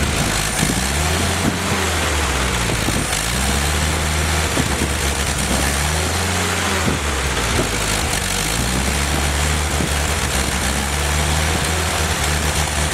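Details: Rebuilt Willys F134 engine on a test stand without transmission during break-in, about 40 lb oil pressure, 170° temperature: steady, even low rumble with constant firing beat, no knocks or ticks over thirteen seconds; normal running.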